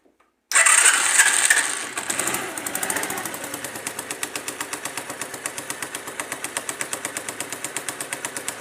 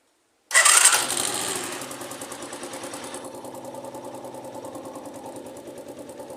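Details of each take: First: Dafra Zig 50 scooter at idle after starting: fast, light, regular tick about three per second like a sewing machine or a pin knocking, from the clutch side; cause suspected, not confirmed, right-side cover to be removed. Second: Dafra Zig 50 scooter after clutch-side repair for sewing-machine/pin-knocking noise, right side cover refitted: fires with a quick rev, settles to steady even idle putter with no clutch rattle; fixed, running fine.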